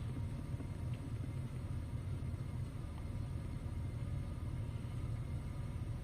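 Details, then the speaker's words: EGR valve commanded open to 100% (desired and actual 70%) via scan tool on a P0401 car: steady, even petrol idle stays unchanged, no vacuum-leak stumble, showing no exhaust gas flow; EGR connector found broken. "so I went up to I try to go to 100 percent and the engine didn't pretty much change"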